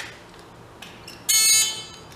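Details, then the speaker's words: Big Joe personal electric man lift bought as non-working: after power-up and key off/on, a shrill half-second buzzer sounds but no motor hum follows and the lift does not move; relay suspected, it earlier kicked the breaker. "Seems like a stayed reset. Yeah, just the buzzer works."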